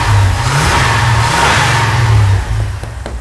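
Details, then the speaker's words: LS-swapped 1979 Nova just after a missing cylinder head ground was reconnected, now running on all eight cylinders; header burning off oil after sitting weeks. Deep, strong revving with an even beat and no misfire. Normal revving. "oh now it's running different this side is definitely firing this thing sounds like a million"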